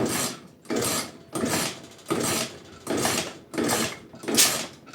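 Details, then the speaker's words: Suzuki Sepia 50 scooter, small two-stroke, cranking without starting: a hissing sneeze or pop about every 0.7 seconds into the exhaust; owner unsure whether it comes from the muffler or a seal; cause unconfirmed. "Вот что это, такое, Это изглушитель или там сальник какой-нибудь чихает."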